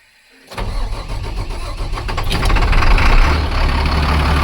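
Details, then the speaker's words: International 4400 with DT466 diesel, started after sitting over winter, with old fuel in the rail and additive added. A loud, slightly uneven, lumpy idle; metal flakes were later seen in the fuel, cause unknown. Rough running. "Not great, but let it run a while. Let it circulate that diesel."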